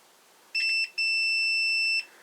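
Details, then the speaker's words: Multimeter in continuity mode on a 12 V two-filament halogen bulb, probing the base and each contact in turn: two sharp, steady high beeps, one short and one longer; both filaments are good. "Điều này có nghĩa là đèn đang hoạt động hoàn hảo. Có hai sợi trong đó."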